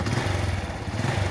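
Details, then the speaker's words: Honda Revo motorcycle, after replacing the timing (cam) chain parts to cure a rough sewing-machine-like engine noise: an even, steady low pulse at idle with no clatter or chain rattle, a smooth healthy idle. "kita kita lakukan pengetesan memastikan perbaikannya kita tes nasinya suaranya adem jalur dan tidak kayak mesin jahit lagi"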